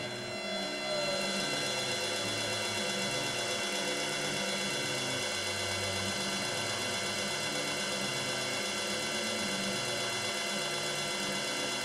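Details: Yaskawa DC servo drive CPCR-MR-152G on bench test, 220 V three-phase supply, driving its servo motor clockwise with speed varied by potentiometer: steady high whine with fine even tones and a low hum stepping with speed; smooth, normal running.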